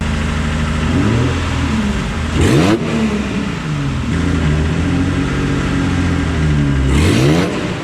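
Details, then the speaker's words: Nissan 350Z with homemade twin turbo setup, under load on test: revs climb twice, loud and raspy, no spool or whistle; zero boost, exhaust escaping through wastegates seen stuck open. "quite hot but I would say once it starts to actually try and make boost it's pretty much all just coming out of here I reckon and which would also explain why it's incredibly loud when you floor it on the road um and it sounds almost like the exhaust is blowing"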